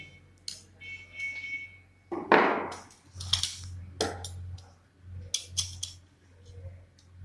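Steady low mains hum from the energized running coil under clatter from handling; the winding is magnetizing properly.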